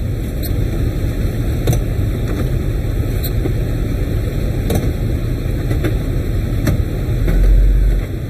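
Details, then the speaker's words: 46-year-old car "Suzy" idling warm after radiator replacement and coolant bleed, heater on hot, fan belt just tightened (was loose), transmission oil being topped off; deep steady rumble rising briefly near end, no knocks or squeals; normal warm idle. "got no leaks looks pretty good nothing's dripping anywhere she's looking nice sounds good again"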